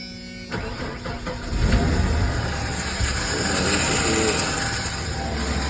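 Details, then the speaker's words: 1995 Ford F-150 4.9 inline-six with M5OD manual transmission, just reinstalled. The starter keeps grinding against the flywheel despite a shim, with a misalignment suspected. Harsh grinding clatter during the first second of cranking, then a steady idle. Starter grinding. "and it's from the starter there's nothing in the there's nothing in the the motor knocking but it's nothing it's just everything from the starter"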